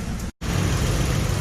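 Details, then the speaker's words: Nissan Almera petrol engine idling after replacing ignition coil and EGR motor (codes P0400, P0302; previously shaking, engine light): steady even low rumble, no misfire or shake; normal idle, codes gone. "หมู่บ้านเครื่องแล้วนะเครื่องนิ่งแล้วไม่มีฉันแล้วครับหนึ่งคิดเลยนะต่างจากช่วงแรกเลยนะ"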